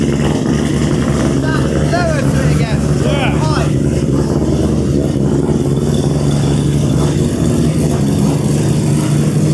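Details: Volvo with a Mazda 3-rotor engine, after the new 4-inch exhaust replaced restrictive oval tubing. Deep, steady low drone at idle with a few light chirps, smooth and mellow, less raspy than before. Normal exhaust note.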